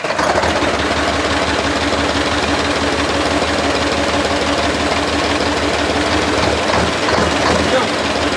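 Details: 1973 Mack R700 with a Mack 865 V8 diesel, running for the first time in 20 years after the frozen injection pump rack was fixed: loud, steady clatter at about three beats per second, holding idle without stumbling.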